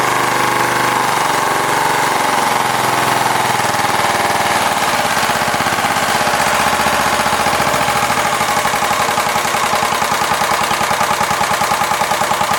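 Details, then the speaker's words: Kubota riding mower engine, sitting for years after a horrible noise and shutdown, started with fuel poured into the air cleaner: it catches into a fast, uneven, stumbling beat; a bent valve is suspected. "I do think that valve got bent a little bit in that debacle of what happened when it fell out, but it runs fairly decent for, well, having that happen to it."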